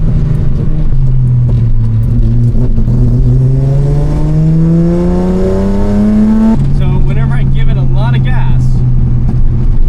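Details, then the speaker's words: Datsun 280Z with FAST EZ EFI retrofit, running rich: revs climb under hard throttle in first and second gear pulls, then the engine cuts out mid-pull; owner blames excess fuel the self-learning system won't correct. Stumble on hard acceleration. "It's really hard for downshifting because I can't rev match, because you have to accelerate fast. And it's hard for like first and second gear pulls because it just doesn't like that much gas."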